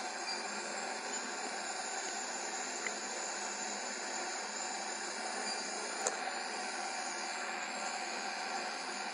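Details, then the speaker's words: Worcester GB162 commercial gas boiler on service, after gas valve adjustment, switched to high fire: steady even burner roar and fan hiss with no pulsing or rumble; flue readings good, CO2 fine, CO under 100 ppm. "so i'm putting this boiler now into high fire and i want to see what my readings are in high five because obviously i've made adjustment to the gas valve and i want to make sure that in high and low we have good readings"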